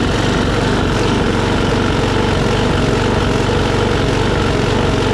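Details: Troy-Bilt push mower after carburetor cleaning and raising rpm from about 2,800 to 3,100–3,200: steady single-cylinder buzz at an even pitch; surging much reduced.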